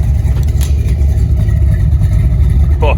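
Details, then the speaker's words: Spyder engine after repair of a broken pushrod and a nut dropped into the motor: deep, steady rumble pulling evenly on a short test drive, with no knocks, misses or ticks; it sounds good. "oh it sounds so good"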